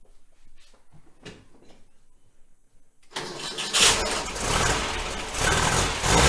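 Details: 1966 VW Type 3 Fastback, new starter: harsh uneven grinding crank with stumbles and random dead spots before catching; owner suspects a chewed-up flywheel, battery possibly weak.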